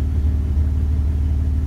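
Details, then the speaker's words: 2001 Dodge Ram 1500 5.2L after fixing a surge with a new MAP sensor (code P0107): deep, even V8 idle rumble with a steady beat, no surging or dips; scan readings steady around 10.3–10.6, normal idle. "so we see a difference vehicle is sounding a lot better damn sensor"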